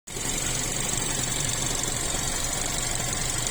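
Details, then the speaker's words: Chery Tiggo 7 Pro Max Elite AWD with robotized gearbox, no error codes: steady idle with a loose, uneven tapping of about three knocks a second, coming and going. Cause unknown. "Может, кто подскажет. То стучит, то не стучит. В районе коробки стоит робот."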